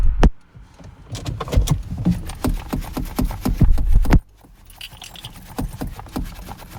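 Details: Cold winter morning roadside no-start: starter churns in uneven bursts at roughly five turns a second, then fades without the engine ever catching; extended cranking.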